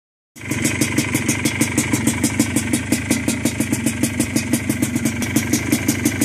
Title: 2001 yamaha blaster first start after engine build